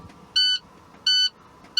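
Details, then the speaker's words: Air brake test, California, inside the cab: brake pedal fanned to drop air pressure while watching primary and secondary gauges. Warning lights and buzzer come on at about 62 psi, within the required 75 to 55 range. Three steady high beeps about 0.7 s apart; normal low-air warning. "Okay, first light comes and second light comes also on the buzzer as you hear it. They comes about 62 psi is a good test."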